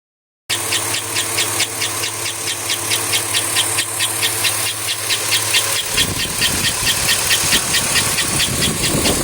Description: I have a loud chirping noise on my 2005 avalanche its driving me insane can someone please help